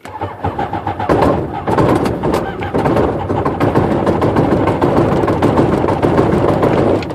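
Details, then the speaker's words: Rotax aircraft engine, hard starting especially on cool days, pulled through 20 times, brand-new Odyssey 236 battery, choke fully on, throttle back: slow laboured cranking then continuous churning for about seven seconds that never gains RPM or fires; prop goes around and stops. "And that's just hard cranking. Never do get any RPM out of it. So the prop just kind of goes around and it stops."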